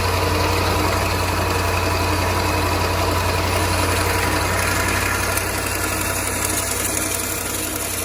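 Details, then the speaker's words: 2013 Range Rover L405 Supercharged V8, cold at low rpm: busy, fast, fairly even metallic clatter over an erratic, lumpy idle, with check engine light for timing; slack timing chain from failed bank 2 tensioner, before chain replacement. "The noises that we're hearing, now the check engine light with this, I'm definitely thinking it's the timing chain. They're known to be problematic in this car. You can hear the chain."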